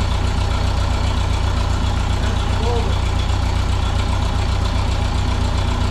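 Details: 1951 Ferguson TO-30 tractor restarted on ignition alone: steady low thrum with a regular firing beat, no misses or knocks; restarts cleanly and idles smoothly.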